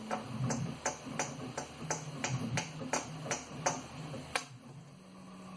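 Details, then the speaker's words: 3D printer extruder fan, about one month old, tapped: initial tap followed by brief metallic ring from a faulty bearing, unlike stock Noctua fans; this was the rattle thought to come from the X-axis rods. "here's the stock uh noctuas from uh pusha there's the initial tap but this guy here has the initial tab plus a ring and that's really it's relatively a one month old fan"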